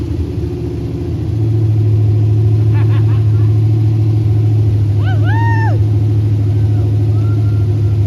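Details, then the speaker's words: 1964 Ford Galaxie Country Sedan wagon, swapped 5.0 302 Mustang GT V8 with Comp Cams hydraulic roller cam, Holley 650 carb, Hooker headers, first start: deep, steady rumble rising then holding even, idle set a bit low; normal running. "well I went too low with it our throttle set up just kind of janky but that's awesome it sounds so good"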